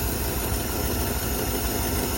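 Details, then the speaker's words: 1954 Cadillac V8 idling after first start, fluids unchecked, nothing serviced; low even burble with no knocks, ticks or stumbles, quieter and better-sounding than the owner's 59. "Sounds good. Sounds better than the 59 does. The 59 sounds pretty bad. This one's at least a little bit quieter."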